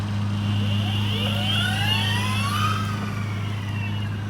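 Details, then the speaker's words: Boosted Mini X electric skateboard on a stand test after repairing broken motors and replacing broken belts: steady low hum with smooth whine sweeping up and down in pitch, no clicks or grinding; clean belt drive, runs normally. "this one is after it's been fixed so it should sound a lot closer a lot closer to the boost in stealth"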